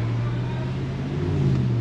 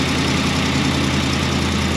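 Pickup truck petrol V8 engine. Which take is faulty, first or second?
second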